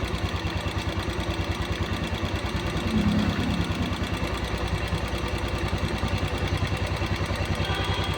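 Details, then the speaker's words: Royal Enfield Classic with morning cold-start problem, carburetor mixture screw being opened from fully closed: steady single-cylinder thumping about three beats a second, gradually quickening as idle climbs; idle speed rising during mixture adjustment. "दोस्तो over race होही हकी race बढ़ रही है और race बढ़ेगी और बढ़ाते जहां तक बढ़ती है रेस बढ़ाते इसकी मिक्चर से"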